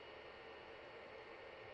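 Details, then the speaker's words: BIQU H2 all-metal extruder's part-cooling blower run at full speed: a quiet, even airy hiss with a faint steady tone and no rattle or ticking, the blower running smoothly while producing a lot of air. "all right so now let's run this fan full speed and I'll be able to test and see how well that's coming out of the bottom there all right it's not too loud I can hear it of course it's not too bad but that produces quite a bit of air"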